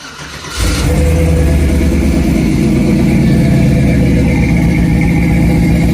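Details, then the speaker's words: Jeep Wrangler YJ revived after years sitting, new fuel line and filter, pump primed before start: catches quickly, settles into deep steady exhaust burble with no misses or knocks; sounds healthy. "She sounds healthy."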